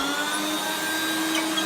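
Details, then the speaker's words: 1994 Hoover Turbopower 2 Autosense U2462 upright vacuum with 800 W motor: steady high motor whine without the lower rumble of a spinning brush; it is not picking up, with a broken drive belt suspected, not confirmed. "yes he's not picking up that [Music] well yeah the Bel is broken on it"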